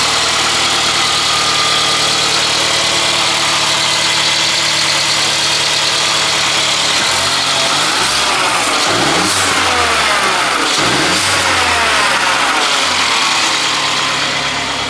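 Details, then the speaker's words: Mercedes-Benz CLA 180 donor car, about 93k mileage, whose engine is to be swapped into another CLA 180 with a blown engine, test-started before removal. The engine catches promptly, revs briefly and settles to an even idle with no knocks or rattles. Normal start and idle. "Right, so we're just going to start it up and make sure it all starts and runs and sounds as it should before we rip it out and put it in somewhere else."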